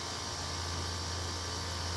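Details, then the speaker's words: Dehumidifier compressor (probably a 60–70 pint unit) drawing about 5.5 amps, running without fan, for DIY refrigerant recovery build; steady even low hum with soft hiss, no knocks, normal running. "the size compressor you need to do that much work is is usually about five amps"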